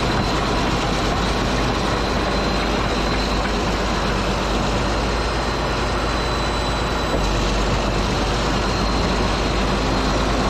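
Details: Caterpillar D8H bulldozer (46A serial, year unknown, No. 28 cable control unit) running after sitting 15+ years, once fuel reached it: deep, steady diesel rumble at idle with an even, unbroken beat, no knocking, running good. Normal diesel idle.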